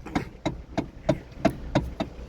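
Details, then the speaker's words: 2012 Kia Soul, steering wheel turned: sharp, evenly spaced clicks about three per second; worn rubber/plastic bushing in the steering column coupling, fixed by replacing the bushing. "And this one has that notorious steering wheel sound when you turn it."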